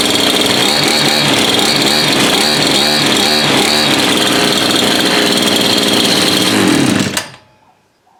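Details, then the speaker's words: Bush cutter (weed eater) small two-stroke after repair: dirty spark plug cleaned, no fuel found, filter opened and blockage removed; first start after priming and choke. High, even buzz holds steady about seven seconds then cuts off cleanly; running strong, fixed. "that's it fixed running everyone service running and it's as easy as that"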